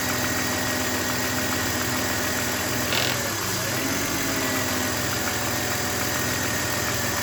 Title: Bmw e39 m52b28tu, rough idle, leak and misfiring. Any ideas whats the issue?